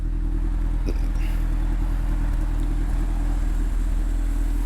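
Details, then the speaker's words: Honda CRX on its first drive: steady low engine drone with no knocks or rattles; the earlier rattle, believed to be from loose tie rods and the brake caliper, is gone, so it sounds good. "Alright guys, she's sounding good. We are gonna move along. I didn't hear anything rattle like last time."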